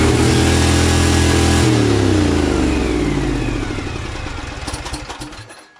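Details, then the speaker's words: Lawn tractor engine started on choke: screams at steady very high RPM, then winds down after shutoff; owner suspects governor problem, cause unconfirmed. "I shut it off immediately because you saw how high the RPMs were, like the throttle is completely out of control."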